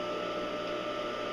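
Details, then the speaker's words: Home-built cyclone dust collector blower motor after regreasing bearings: smooth steady hum with thin high whistle, no bearing growl or rumble; quieting as bearings warm and new grease mixes with old; running normally, motor upgrade deferred. "as the bearings warm up and your and your new grease and your old grease combined that they'll they'll quiet down a little more you can hear it quieting down as we speak"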